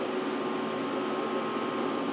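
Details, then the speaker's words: Power Mac G5 Quad hanging on boot: loud constant rushing whir with a thin steady tone that never eases; fans stuck at full speed, owner suspects a kernel panic; boots after removing four mismatched memory sticks and moving the other pair. "sometimes I've seen these Maxwell they'll actually crash at this point and the fans will kick up like this one did but it'll just keep spinning like that and won't actually tell you anything so we might have had a kernel panic here or something"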